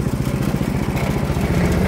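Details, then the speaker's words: MTD 61 snow blower, second year of light use: petrol engine running steady with rough, rapid rhythmic thumping put down to the tensioner roller; shaft beats and wobbles side to side, augers bent though nothing thrown, cause of wobble unknown to owner. "Вот так вот в разные стороны ходит. Не знаю почему, не могу понять."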